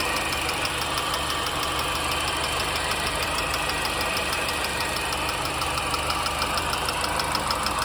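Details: R53 MINI Cooper engine at idle: light, quick ticking at roughly three per second rides over a steady idle; the owner asks where the ticking comes from, and the source is undetermined.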